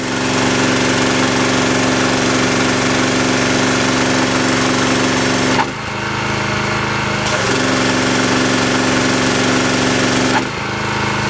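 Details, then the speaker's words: Generac pressure washer, throttle-cable control turned down to the low-speed "delicate" setting: small petrol engine chugs steadily and smoothly at reduced speed with no knocks or misses; normal running. "That's low speed on the engine. Do the one pressure set now. There's your low speed."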